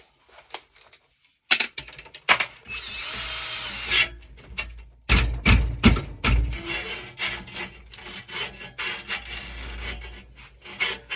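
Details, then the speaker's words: Push reel mower being lapped: cordless drill spins the reel in the forward direction (opposite its cutting direction) against the back cutting bar with lapping compound; whir with uneven scraping bursts that catch and grind, the reel still catching. "and now we are going to turn it in the forward direction and it's going to lap against this back cutting bar here so it's going to be a little noisy but we're going to do this for a little bit until we start to hear the difference in it"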